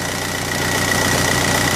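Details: Mk4 Golf ALH TDI, about 100,000 miles, after repairing the P3105 anti-shudder valve solenoid fault and relocating the solenoid to the firewall: steady, even diesel clatter at idle with no stumble. Idles smoothly.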